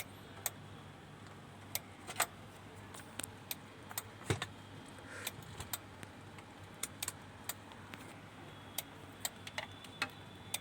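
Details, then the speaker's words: Denon AVR-2113 AV amplifier that won't power on, stuck in protection with no sound: sharp dry relay clicks at uneven intervals, about one or two per second; the 5.2 V supply drops each time the relay clicks. "यह piece on नहीं हो रहा है। Relay की tuktuk की आवाज इसमें आती है।"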